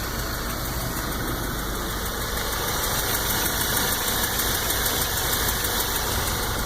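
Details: New 2014 VW GTI at 1,000 miles, hood open at idle: a light, fairly quick tick over steady engine noise from low on the engine that increases with RPM; source not pinned down, cause not confirmed.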